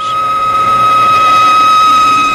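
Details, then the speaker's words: New Britain automatic screw machine (bar machine) cutting: steady piercing squeal about 1.2 kHz, tool chatter, leaving rough uneven part surface. "the sound that you have been hearing is chatter you must learn to recognize this sound as an indicator of trouble"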